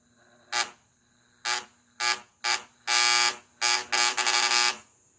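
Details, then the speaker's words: VW Fusca (Beetle) distributor cap test for rough, oscillating idle and misfire: harsh, ragged spark bursts at cylinder 4's pin, with foam forming and even smoke coming off it; current leaking through a faulty distributor cap. "Então tem alguma coisa de muito errado aqui no pino do 4. E ele chega a sair até uma fumaça."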